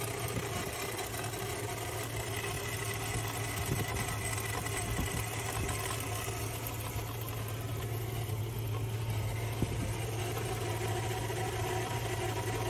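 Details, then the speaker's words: 2001 Z71 at idle, steady with a light chirping tick and whir over a smooth engine; owner feared engine destruction, but cause was simply a bad accessory pulley. "customers sending this video of their 2001 Z71 asking if this sound means their engines destroy lucky for them it was simply a bad pulley"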